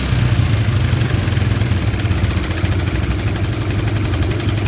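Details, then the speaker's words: Honda Karisma motorcycle after replacing the fuel tap: low, even idle with a steady soft thump and no misses or hunting. The idle can now be set low, so the repair worked. "ini setelan langsamnya bisa ya Bisa kecil ini kalau mau nyetel itu gini dulu guys dibesarin dulu gasnya ya"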